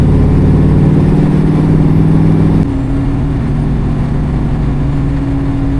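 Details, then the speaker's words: International Scout on a 34° morning drive misfires under load in third and fourth gear above 2500 rpm, struggling to hold 60 mph. Uneven stumble about four times a second, with pitch dropping after a shift. "As I get into third, fourth gear, I notice that the scout is is really falling on its face and misfiring. Anything above 2500, it's difficult to maintain the 60 mph speed limit here."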